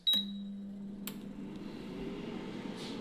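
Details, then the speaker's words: Budget air fryer started on the fries preset at 200 °C for 20 minutes: a short beep, then a steady, even low fan hum with no rattle or scraping; normal fan operation. "that is sounding a lot more safer I can hear the imemo AR going"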